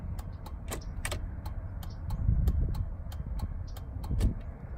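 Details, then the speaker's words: 2003 Chevrolet Suburban, new replacement flasher module (old one intermittent) tested with engine idling: crisp relay ticks about three per second, long then quick first blinks settling into even pattern; normal, apparently by design. "it we got a long a long blink than a quick blink and then a standard you know pattern to it I guess that's just it does it both ways I guess it's just how this was designed"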